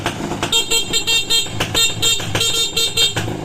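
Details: Motorcycle horn on a restored bike with rewired, now full-wave charging system (voltmeter 12.8 V, 14.9 V revved): short bright toots in quick repeated bursts over the running engine, strong and clean; the horn works properly.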